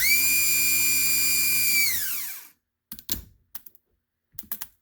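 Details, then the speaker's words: HWH RV hydraulic pump motor (RAP91244) bench-tested after its carbon brushes were replaced: a strong, even high whine holds, then spins down smoothly, followed by bench handling clatter. The motor sounds good. "There she goes. Sounds good."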